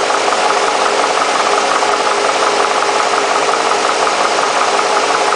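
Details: Mercedes SL60 AMG V8 idling with an uneven, lumpy beat and a light rattle over it; rough idle, cause not identified.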